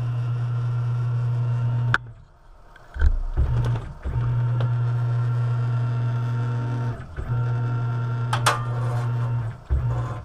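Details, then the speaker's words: Tormach CNC mill Y axis after ball screw replacement, slot made taller and way cover tilted out of the way: short jogs with clean steady low hum and quick stops, no grinding or notchiness, much better than before; smooth axis travel. "how that sounds compared to before it's much better"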